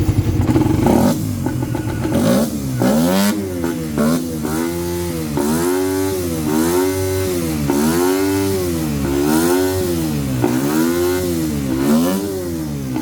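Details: Motorcycle that would not start, now fixed after troubleshooting electrical, fuel and compression; the cause was corrosion. Engine pulls cleanly through repeated rev blips, rising and falling smoothly with no misfire or knock; runs fine.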